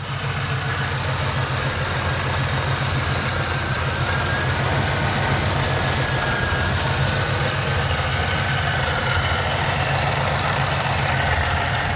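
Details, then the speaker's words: 1999-2004 Mustang 2V just converted to E85 with 47 lb injectors and a new tune: V8 idles fairly evenly with a slightly rough beat, no knock, but dies if left idling unattended; cause uncertain. "alright guys so my car idles fine but if I leave it idling by itself and it dies so like a idles fine for a little bit and if I were to leave the car unattended and just idle it dies for some reason"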